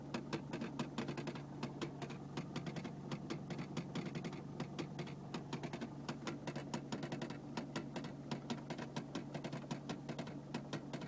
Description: I have just recently bought a 2001 Mercedes Benz CDI C220 but whenever I start the car there is an awful ticking noise which goes on for about a minute.